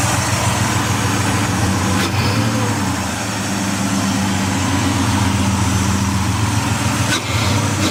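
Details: 2004 Ford Escape XLT 3.0L in park, just restarted after fitting a remanufactured MAF, reinstalling a Bosch O2 sensor and disconnecting the battery: uneven idle with a loose, irregular ticking over a low drone; cause unknown.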